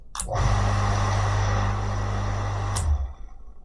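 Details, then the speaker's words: Havells JSE1 1.0HP 0.75kW single-phase shallow well jet pump, test run without water: clean start into steady even low hum with soft fan rush, then shuts off, no rattle or grinding; healthy. "तो normally जैसे motor में sound होता है ना तो इसकी fan की आवाज आ रही है ना कि इसकी मोटर की"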